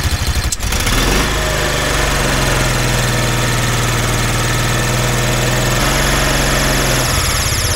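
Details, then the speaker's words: 2004 Kawasaki Mule that sat for years, first run after work: small engine idles steadily with a sharp high squeal on top, seemingly from inside the belt cover; belt screech at idle, cause unconfirmed. "so it seems to be running and idling pretty good but we have this God awful screeching noise that sounds like a pissed off mouse in there so s sounds like it's coming from the belt"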